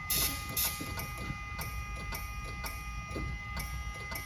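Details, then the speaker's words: DeLorean DMC-12 barn find, 977 miles, off road about 18 years, carb cleaner sprayed in intake, fuel pump fuse pulled: faint even clicks about twice a second, no crank; relay fine, suspected signal issue to starter circuit, dead relay or starter. "relay is perfect but I got no starter I hear the starter barely clicking"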